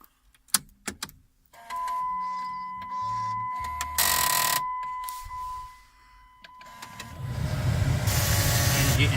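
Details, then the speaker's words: 2006 Dodge Caravan heater blower motor, key on after the motor was reinstalled and its quick-disconnect wires replugged: after clicks and chimes, a steady airy rush builds and holds. The blower works; odd noises from the CD player in the background are a separate issue. "you can hear the fan is blowing. That's my CD back in the background making some funky noises, so don't worry about that. That's a different issue. But this blower motor is working."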